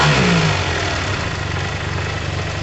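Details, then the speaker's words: Yamaha TMAX 500 twin carburettors after removal and refit: engine blips briefly then settles into an even, steady run with no misses or stumbles; running smooth and normal. "all right guys have a listen it's running smooth as anything very very smooth that means i am comfortable"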